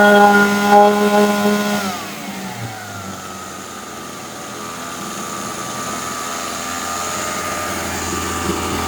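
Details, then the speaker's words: Husqvarna 136 chainsaw, repaired no-start, warmed up for carburettor adjustment: high two-stroke scream at full throttle drops away, then settles into a steady high buzz as the high-speed (H) mixture is set; normal running. "Ja, då ska jag köra den lite varm först bara innan jag börjar justera."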